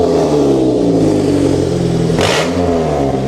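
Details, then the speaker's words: Car from DriveTribe with melted, collapsed catalytic converter, exhaust opened up and Lambda sensor unplugged: engine drops off and picks straight back up with a clean, even note and no hesitation; revs freely. "God she's running really nice why do I get myself into these situation"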